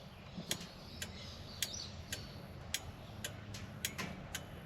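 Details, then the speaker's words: Ford XA Falcon points-type flasher can: soft, fairly even clicks about twice a second with the signal engaged. The indicators had only come on without flashing; it started working after being disturbed, and the touchy combo switch may also be at fault. "You can hear that flashing away in there. All it is is contact points. Make and break points like your ignition points. So that's flashing away."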